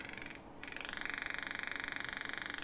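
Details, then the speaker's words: Steady high-pitched buzz with fast even pulsing from the speaker of an Arduino Nano and DFPlayer Mini breadboard project; resistors with thinner leads make poor contact in the breadboard holes, unlike soldered ones on the circuit board. "it is because these resistors here aren't making good contact but these are the same resistors that I'm using on the circuit board and I have them soldered in so they're making good contact on there"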